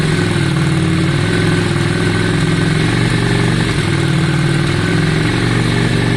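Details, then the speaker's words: 2002 Yamaha Virago V-twin after carburetor cleaning and fresh fuel: steady, slightly loping idle with even firing and no stumbling; sounds much better than before. "Yeah, it does seem better. Yeah, it sounds much better."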